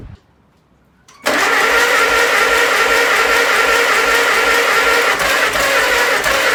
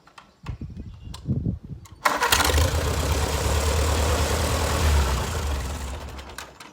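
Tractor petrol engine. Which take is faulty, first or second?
first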